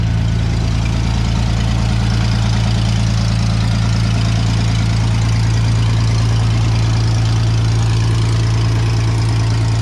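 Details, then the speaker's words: Vintage Scoopmobile LD5P articulating loader (thought late 1940s–early 1950s), revived after at least 15 years sitting; steady, deep, even idle with a regular beat, no knocks or misses; runs surprisingly well, hydraulic pump gives lift, antifreeze leaking, hoses rotted. "Man, I can't believe how good that runs."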